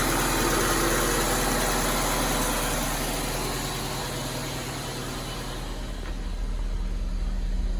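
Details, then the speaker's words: Honda CR-V with JDM B20B head swap, first start after cranking to build oil pressure: even fast idle at 1400 rpm with smooth firing beat, no ticking unlike the old head that was tick-tacking; normal idle. "hold an idle at 1400 no more bubbles no more ticking awesome crazy to go from this from what the other thing was tick-tacking away"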